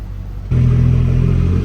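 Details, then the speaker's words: Toyota Mark II JZX100 just fitted with a Tomei Ti exhaust, idling in the shop: a loud, deep, very steady exhaust drone sitting noticeably above normal idle with no hunting. High idle, and the exhaust is very loud. "in the shop too there's the high idle that's bad"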